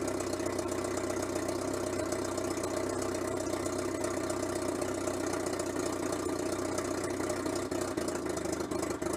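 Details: Renault Super 5 idling after head gasket replacement: even, settled idle at constant speed with no knocks, misses or hunting; runs smoothly.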